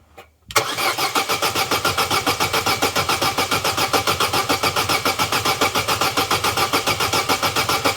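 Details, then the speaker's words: Vauxhall Corsa B that sat neglected 4-5 years, cranking after spraying flammable starting aid into intake: even five or six beats a second, never catches. Cranks but no start; spark check next. "I know well it's disappointing isn't it I wondered if with the air box on some Vapors Gather in that pipe"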